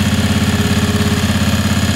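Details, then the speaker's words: Briggs & Stratton 18hp Vanguard V-twin on Ingersoll 448 riding tractor, running without the OEM air filter that made it run rough with black smoke; even steady V-twin beat, no stumbling or hunting; normal running. "so you guys could hear how this engine sounded without the air filter at all it ran perfectly fine"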